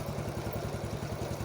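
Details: Yamaha X1 110 carbureted motorcycle after rebuild: steady clatter about ten knocks a second over lumpy idle, appearing when shifting into gear; oversized clutch plates push the clutch basket into the cover, rubbing.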